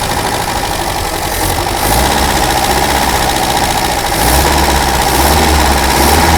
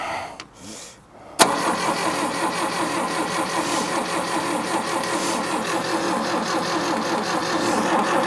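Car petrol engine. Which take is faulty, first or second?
second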